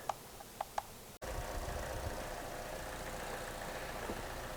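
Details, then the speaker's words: GM 1.4L turbo Ecotec with code P0171, after the camshaft cover was replaced and torqued to 71 in-lb: a steady, even idle with a low hum and no whistle or hiss; the engine runs much better and fuel trims are balancing. "First of all, the engine runs much, much better. We also do not hear, listen, we do not hear that whistling sound anymore."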